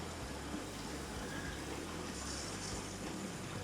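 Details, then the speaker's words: New Navien NCB-240 boiler installation at start-up: steady rush of water with irregular low gurgles and bubbling as trapped air is purged through the heating pipes. "can actually hear the air yeah he's making noise"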